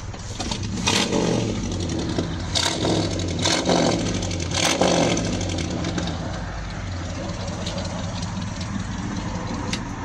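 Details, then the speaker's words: 1972 Ford F100 with a 302 V8 swapped in for a bad 300 inline six: the V8 blips up and settles with a deep, even burble and a few sharp clatters in the background; running "smooth as eggs", healthy. "oh yeah she's running smooth as eggs sounds"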